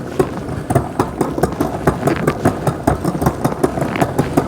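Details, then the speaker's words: 2024 Wired Freedom e-bike, rear wheel lifted, shifted into top gear while pedalling: steady sharp ticking about four clicks a second as the chain won't settle, rear derailleur indexing out of adjustment. "See how that doesn't want to click in?"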